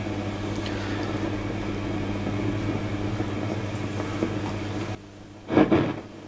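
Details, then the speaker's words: Fender Pro Reverb valve guitar amp, possibly a reissue: steady mains hum broken by crackling, popping and spitting bursts. The fault is mostly on the vibrato channel, with low-frequency rumbling and more hum than expected; HT caps were later changed. "basically crackling popping spitting and making all sorts of horrible noises"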